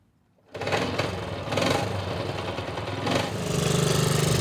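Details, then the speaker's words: Vintage 1963 Honda Sport 50 (CA110) single, first run in many years: fires first try, quick even putter steadying as it warms; still needs tuning but starts right up, runs healthy. "I got a little ways to go tuning wise. This thing still needs kind of dialed in, but it is starting right up running amazing."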